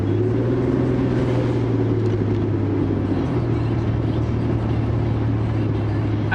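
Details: Vehicle with a newly installed fan clutch, fresh Royal Purple oil and mystery oil in the gas: a steady, deep fan roar with no slipping, which is normal fan clutch engagement.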